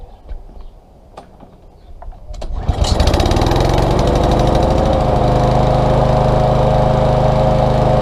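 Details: Small engine stored September to June, wouldn't start; after cleaning the varnished carburetor jet with carburetor cleaner and compressed air. A few pulls, then catches and settles into steady even constant-speed run; normal running.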